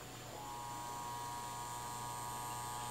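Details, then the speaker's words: 1951 GE 512F Telechron vacuum-tube clock radio: the alarm coil is energized, giving a steady electric buzz with a low hum from the alarm buzzer going off. "Okay. That's definitely that little alarm piece I was talking about."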